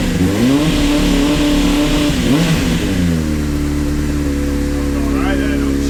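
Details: Honda CBR600 that stood 9 years with 7,000 miles, just revived after a seized part was replaced, on choke. Revs climb and fall cleanly without stumbling, then settle into a steady, even idle; engine running healthy.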